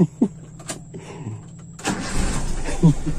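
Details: Toyota Kijang after installing a points distributor and setting timing about 5 degrees: a few cranking turns, then the engine catches and settles into a steady idle; normal start.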